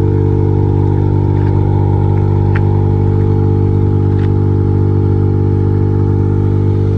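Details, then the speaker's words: Perodua Kancil fitted with MaxxECU standalone ECU, just started after install: loud steady low drone with even rhythm, no misses or knocks; small petrol engine idling smoothly and healthy. "Pipang bunyi. Ready lah. Kita dah hidup."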